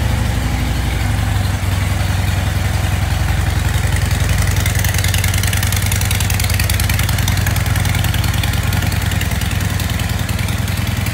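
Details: 2016 Dyna 103 Street Bob FXDB, stored since 2018 at 212 miles, stolen and recovered in 2022 unstarted, on its first start in years after simple repairs: deep, loping V-twin idle, steady at about 3.5 beats a second, no knocks or misses, normal idle.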